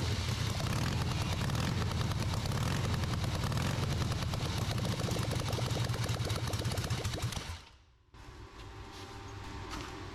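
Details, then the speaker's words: Rebuilt Harley V-twin on off-road trike, first start after a significant timing correction, choked; uneven popping at low revs, about three to four beats a second, runs on its own before cutting out; normal running. "Wouldn't have believed it myself, but yep, it actually started and ran. Didn't run too bad either."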